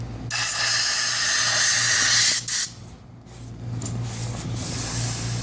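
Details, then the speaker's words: Low air loss mattress bladder disconnected at its connector and filled with compressor air: loud steady rushing hiss that drops when the gap is covered; huge leak gap at the connection point, whole bladder needs replacing. "can already hear that it's coming from right there's a huge leak gap right there"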